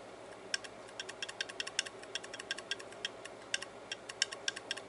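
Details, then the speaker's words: Old, worn hard drive opened up and held close to the camera: rapid, uneven, high, sharp ticking and rattling clicks. The head assembly has a lot of slack and rattles as it moves. Not fixable, though the drive still works. "that's what's actually uh doing the rattling well now we know but there's nothing we can do about that"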